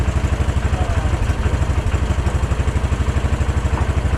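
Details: Case 444 tractor revived after sitting forgotten behind a barn, fed from a temporary jerry-can fuel line: quick, even single-cylinder putter holding a steady rhythm without misses; normal running.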